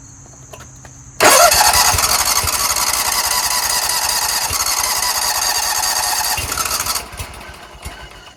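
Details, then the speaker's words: Scag Tiger Cub 48-inch commercial zero-turn mower on a jump starter after hard starting; the engine catches then runs ragged and dies, traced to a disconnected choke flap linkage. "so I was looking over here check this out there's a loose linkage right here meaning nothing is going to this throttle linkage is sitting right here I have to figure out where that goes so I got the linkage back on here it was the choke flap that connects"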